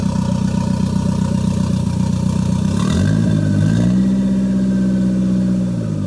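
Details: Toyota MR2 with Gen5 engine swapped in from a Caldina, first start with no exhaust fitted: loud raw unmuffled idle, throttle blip rises and settles back cleanly; normal free revving. Owner suspects bent O2 sensor behind check engine light.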